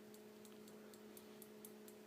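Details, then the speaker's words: Homemade high-voltage transformer (DVD regulator, bug-zapper circuit with upgraded transistor, flyback) in a DVD case, with the fan running: crisp, even spark-gap clicks about four a second over a steady electrical hum, operating normally. "you know the fans going you can hear that clicking which is the spark gap inside"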